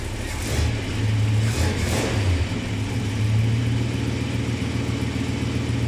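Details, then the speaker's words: 1966 Plymouth Sport Fury V8, original camshaft, first cold start after fresh Lucas hot rod oil: catches, revs briefly, settles into a steady, even idle with no knocks or ticks; normal healthy run. "We put some Lucas hot rod oil in there. We'll fire it up and run it in."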